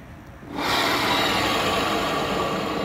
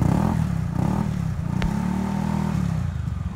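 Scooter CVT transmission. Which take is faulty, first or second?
first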